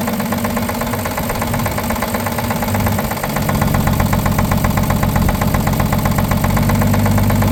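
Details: 1950 Chevrolet 3800 one-ton with Chevy 235 six, abandoned since 1977, idling with heavy, fairly regular low knock about four per second; full 60% oil additive did not remove it: worn rod bearing knock.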